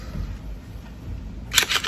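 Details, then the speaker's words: New door latch actuator on a C6 Corvette, released with the car's own door switch after replacing the faulty one: crisp quick clack and short double click over a low hum; actuator working properly. "Oh, nice. That was a good one. That's what you want to see."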